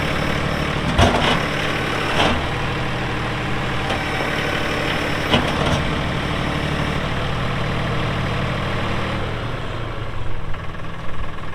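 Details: 2018 Massey Ferguson 2605H 4WD tractor, 310 hours, 8-speed mechanical shuttle, 911X loader: steady low diesel throb, smooth and even with a couple of brief clanks, no knocks or misses; normal healthy running.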